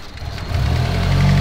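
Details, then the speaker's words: Mitsubishi Evo 8, tuned built engine, just after start-up with new fuel pump wiring: lumpy, sagging idle with hunting revs as if about to stall; fuel pressure only 35 psi, to be raised to about 44 psi at the regulator; stumbling idle from low fuel pressure. "pressure is pretty low we're at 35 psi so let's drink that up that's why it's dying"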